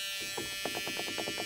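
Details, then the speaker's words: 1980 Dodge W200 restoration with Magnum 5.9L, new aluminum radiator, first electrical power-up with ignition on: rapid buzzing pulses, about six or seven a second, with a thin high hiss while the fan stays dead; cause not yet traced. "Does the fan work? No. Oh! Let's try it now. Nope."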